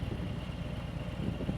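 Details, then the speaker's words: Motorcycle at low speed with the clutch fully released and no throttle, after a chugging demo. A low, even beat with only slight unevenness shows very little chugging, felt but harmless: smooth running. "Now let's take it out. Clutch is wide open. No throttle. There's no chugging."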